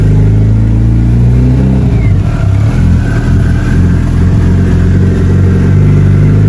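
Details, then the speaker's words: Mitsubishi Evo with internal wastegate turbo, first cold start before tuning, no throttle: deep, steady rumble with no misses, knocks or hunting while still warming up; normal cold idle. "Looks good. Everything sounds good. Perfect. All right. Still warm. Still warming up though. Still cold. Still warming up. So, we're getting there. But it sounds good. It's running good. Nice start."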